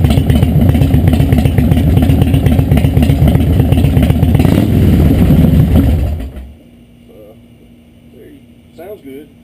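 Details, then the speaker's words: 2003 Harley-Davidson Deuce after 88-to-96 rebuild: lumpy V-twin idle with a lopey beat about four times a second, even until shutoff; owner notes more lope at idle than before, sounds healthy. "be honest with you other than the idol i can't tell a lot of different the way it sounded before and after they can rebuild the idol it's got more of a look to it at idle"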